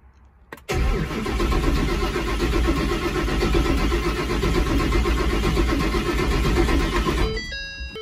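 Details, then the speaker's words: Built turbo Mustang, first start after four oil-priming starts with injectors unplugged; six seconds of steady cranking never catches and no fuel pump whine after a tank fire: no-start, fuel pumps not turning on. "of course, still doesn't want to start. It's just the issues I've been running into. Definitely can't hear the fuel pump still."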